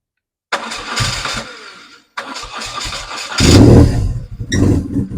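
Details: BMW R1100R boxer twin after valve clearance adjustment and spark plug replacement, cold start without choke after days unused: a couple of cranking bursts, then catches cleanly into a steady, even idle; normal cold start and idle.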